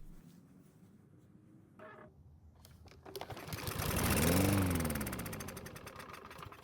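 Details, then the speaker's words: Almost new Troy-Bilt push mower that would not start, with gasoline poured into the carburetor throat. It catches after a few pulls, revs briefly, then fades and dies; it runs only on the primed fuel, so ignition works and it is not worn out. "So the good news is that the engine ran on the gasoline we put into the carburetor. That also means we have a working ignition system and it's not worn out"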